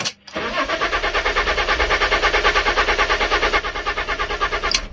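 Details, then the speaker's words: Fiat Stilo Abarth with new spark plugs cranks steadily at five to six compression pulses a second for five seconds without firing; crank no start, owner believes the ECU is defective and plans to source a replacement. "Nah, it does not start. So I'm not going to start it again, because I'm probably going to flood the new spark plugs and it won't start ever again."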